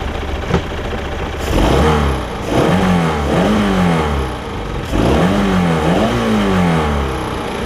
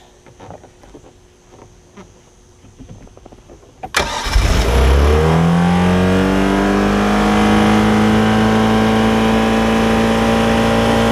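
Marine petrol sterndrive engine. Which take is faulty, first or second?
second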